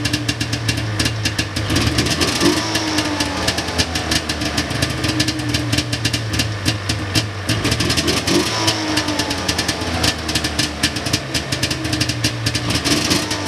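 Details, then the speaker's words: 1999 Ski-Doo Formula DLX two-stroke whose carburetors were botched by a previous owner; it was possibly flooded by an unneeded choke. Uneven, boggy, stumbling idle with ragged popping; the plan is to clean the carbs and fit fresh plugs. "I think I just had the choke on there when I didn't need to have it on and just flooded her out but definitely sounds a little bit boggy"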